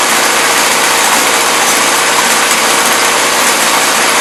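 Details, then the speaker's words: 1977 Toyota Celica, Weber carburetor: steady, rough idle with a harsh, hissy exhaust note and no knocks; running rich and loading up; no blow-by or smoke, small exhaust leak. "so so there we have it i'm not sure why the carburetor is loading up but then again you know i knew it was junk"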